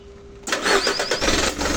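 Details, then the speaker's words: Hino 300 diesel truck after filter change and cleaning for low power, hard starting, stalling and ticking/humming fuel line: single brief crank, catches at once, even idle; noises gone, starts on one crank. "Wala na okay na mga paps ard starting Yung kanyang tunog sa makina Okay na lahat"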